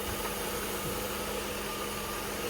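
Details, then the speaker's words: 1989 Mercedes-Benz 560SL that idles rough, stumbles in gear under load and smells of fuel: steady idle with a faintly uneven, lumpy beat underneath, a stumble from a cold start injector leaking fuel. "And you can see that stumble. Oh yeah, you can watch the engine moving."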